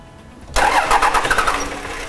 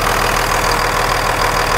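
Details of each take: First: 1998.5–2002 Dodge Cummins with VP44, just after installing a Fleece PowerFlo in-tank lift pump: starter cranks with rapid irregular chuffs that don't catch; air in injector lines, bled at injectors one and three. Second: 1998.5–2002 Dodge Cummins (VP44) idling after the Fleece PowerFlo lift pump install and bleeding: steady, even diesel clatter with a smooth regular pulse, no misses or knocks, and no leaks.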